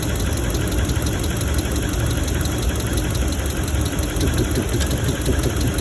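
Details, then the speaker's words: 2017 Ram 1500 5.7L V8 with misfire, rough idle: dull, deep knock under the rumble each revolution alongside a lifter tick; owner plans lifter replacement, suspects piston noise, will swap number three coil to test. "a little bit of a deeper one. So, for the misfire, I think we're going to do we're going to need to do the lifters."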